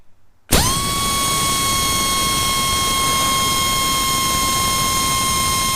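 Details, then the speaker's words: Heavy air impact wrench on a 1/2-inch air line with the ball valve turned about halfway: steady high-pitched air whine with constant tone; air-starved and down on power from the restricted supply. "Now what I'm going to do is turn the ball valve about halfway, and we're going to run it again."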